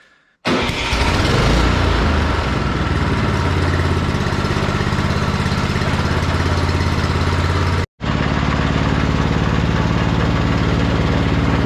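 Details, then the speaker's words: Husqvarna snow blower with Briggs & Stratton Snow Series engine, morning after replacing a gummed carburetor, cold weather, cold oil, electric start: starter catches quickly and engine settles into a smooth steady run; healthy after repair. "crossed after swapping the carburetor out on this thing last night and it was running good it's the next morning we're just going to start it up see if all the controls work stuff like that we'll give this thing a quick try"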